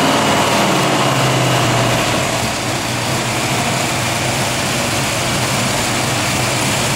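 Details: Carbureted engine converted to a PIII fuel injection system, bench-run over 45 minutes: smooth even idle of about three to four pulses a second with no misses or hunting; normal, healthy idle.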